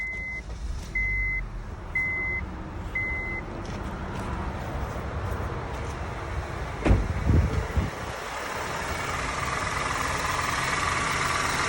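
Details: 2009 Honda Civic after alternator and belt replacement for a loud growling noise, pulleys and tensioner checked okay: dash chimes, cranks and settles to a smooth even idle, growl gone.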